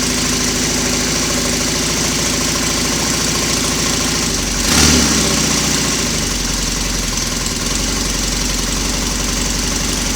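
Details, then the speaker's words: Royal Enfield Constellation twin, cold start the morning after first run on two cylinders from one carburettor, condensation on pipes: fires and settles to a steady, even lumpy idle with no misses and no smoke, no wet sumping; slightly sticky throttle cable. "no smoke because there's no wet Sun is and a slightly sticky throttle cable this morning but that doesn't matter"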